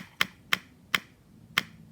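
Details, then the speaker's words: Supercharged NOS postie bike on newly powered fuel feed, ignition on: four sharp light ticks a third to half a second apart as the electric fuel pump fills the carburetor float bowl; pump working normally. "now also I turned the power on you'll see the fuel pump start"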